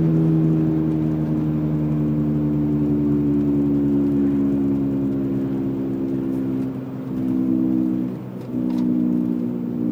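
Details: 1999 BMW 328i E46 sedan, manual, driving: loud steady low hum louder than the engine, first thought to be the differential, actually the right rear wheel bearing; noise disappears when steering left.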